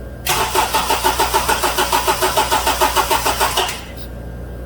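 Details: 2007 Honda Accord 2.4L DOHC four-cylinder, cold, slow crank complaint: cranking thuds slowly, about three a second, for roughly three seconds without firing, during voltage drop test; battery, alternator and voltage drops tested fine; worn starter replaced.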